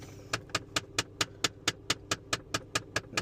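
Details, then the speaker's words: 2017 Jeep Compass, clicking behind the dash when turning on AC/heat: sharp, even clicks about four or five a second on the right side, apparently from the recirculation door actuator. "Turn on the recirculation door. It's flashing. Seems like it's the recirculation door."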